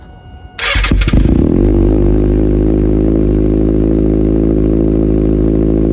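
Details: Salvage-rebuilt Kawasaki Ninja ZX6R started outside and warming up so coolant circulates, about 63°C. After a brief crank it settles into a steady, even idle with no knocks or misses; it runs and sounds good.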